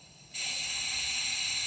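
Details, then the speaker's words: 2005 Ford Super Duty 6.0L diesel, hot no-start with low ICP (code P2291), high-pressure oil system air leak test at ICP adapter: steady high hiss as the IPR solenoid is released; only normal pump-drain bleed-off, no leak at the replaced fitting. "see that i can hear a little bit from the back of that pump but that's the pump drain so that's normal but we don't have any leakage out of our fitting that we just replaced or or hear any other air leaks"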